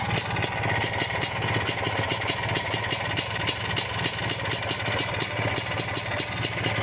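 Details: Lambretta Series 2 SS225 two-stroke at fast idle after a 60 km ride on a cold day, compression good: sharp regular metallic tick-scrape every few beats; owner says it is not the flywheel or the solid Casa flywheel cover, source unknown.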